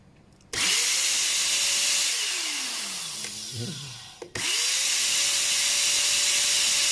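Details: Multipro ESP99HP electric spray gun motor after replacing its bearing with a better one: motor spins up to a clean steady whine, winds down and restarts smoothly with no grinding or rattle; speed reads about 480 at first pull, stabilising around 450–460, seemingly faster.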